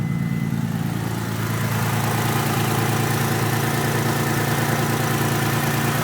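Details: Mitsubishi 3000GT VR4 V6 at idle: uneven, lumpy beat with a skipping cylinder; owner unsure whether a valve problem or just a bad misfire.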